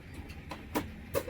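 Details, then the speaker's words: Peterbilt 589 truck start-up: faint ticks as the brakes click, then two sharp air pops about half a second apart over a quiet idle as the ABS runs its diagnostic self-check. ABS valve self-test pops. "then you hear a popping sound. Once you kind of hear that popping sound, what that's doing is running a diagnostic on the ABS sensors."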